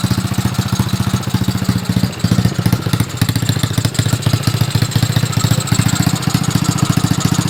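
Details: Steady, even idle at roughly three and a half beats a second with no extra tapping or clatter after a shim fitted to take up rocker side play; valve train sounds quiet and healthy.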